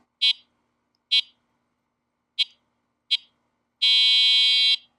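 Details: Andsky Apex 50 dual-motor 48V fat-tire e-bike horn: four short, sharp high beeps, then one long steady blast of the same tone, sounding loud and clear.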